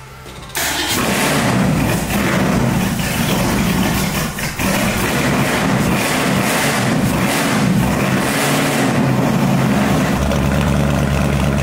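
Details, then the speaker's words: 1965 Mustang with supercharged, aluminum-headed 289 V8 and big cam, first fire-up with exhaust and tailpipes after a thermostat delete: it cranks, catches, then settles into a slow, loping idle that is too low. The owner wants the idle turned up and the initial timing tweaked. "Got to turn that idle up a little bit. That is me. Make a small change there on the initial."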